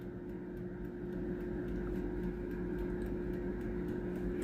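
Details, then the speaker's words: Philips NA120 air fryer after repair of no-heat, fan-not-spinning fault (traced to basket/tray switch): plugged in, temperature and timer set, fan now hums steadily with light even ticking, running normally. "เสียบปลั๊กไฟปรับตั้งอุณหภูมิปรับตั้งเวลาตอนนี้มีเสียงพัดลมทำงานแล้วนะครับ"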